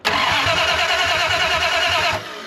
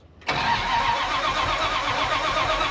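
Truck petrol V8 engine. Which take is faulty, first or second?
first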